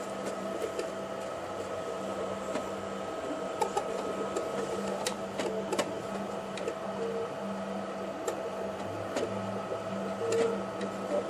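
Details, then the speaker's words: Spider machine with a light hum broken by sharp, uneven clicks and ticks; the owner suspects something loose at its base, unconfirmed. "go it's sounds like it's loose down here it's I'm sorry lose on that base there"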